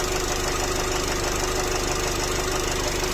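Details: Nissan X-Trail 2.0 dCi diesel, 250,000 km, blow-by present, no errors, temperature gauge at 4 divisions: a loud, steady idle with a hard regular knock about three per second, a worn connecting rod bearing.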